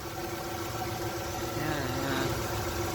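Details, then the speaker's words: Honda 3.5 J35 V6 after timing belt kit, tensioner and water pump replacement: steady, even idle with a smooth low hum, belt spinning fine, no pinging, crackling or knocks, running much better than before. "yeah belt spinnin fine there's no pinging there's no crackling there's no explosions sounds like a good job that's some of the hell of a lot better than it did before"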